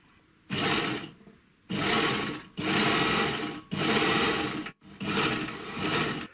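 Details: Three-thread GM C1D overlocker after cleaning, lubrication and adjustment, sewing different materials including thin knit. Short bursts of fast, even stitching with a steady whir and no knocking or catching; it sews cleanly.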